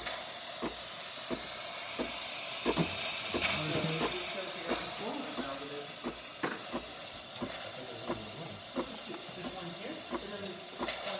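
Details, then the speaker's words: DeLonghi espresso machine steam wand test after full service, pump audibly building pressure: strong, steady high hiss with light ticking; good pressure and temperature, healthy steam output. "Good amount of pressure coming out. Good temperature."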